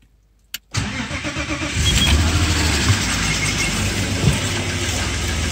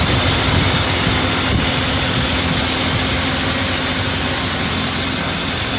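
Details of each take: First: BMW E34 M50 engine on a cold winter morning start, catching after a short crank and idling with a faint, quick hydraulic lifter tick that fades as it warms; 10W-60 oil, thinner winter oil suggested. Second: BMW E34 M50 at warm idle after an oil change to Castrol 5W-40, positive air temperature: smooth, even idle with steady rush and no top-end ticking; hydraulic lifters quiet, cold-morning start still to be checked.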